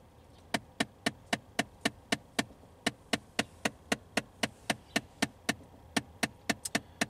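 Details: 2015 Ford Fiesta SE at about 40,000 miles: sharp steady clicking about four times a second from behind the dash, a faulty blend door actuator, replaced.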